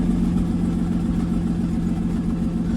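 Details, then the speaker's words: MK5 VW Golf R32 Turbo, first start on a cold morning after MK7 Golf R DSG clutch packs, a new flywheel and a welded exhaust manifold crack: idle carries a sharp puffing tick. Leak suspected between head and exhaust manifold, to be resealed, possibly with a new gasket. "There's obviously a leak coming from somewhere. So it sounds like it's coming from the exhaust, between the head and the exhaust down here."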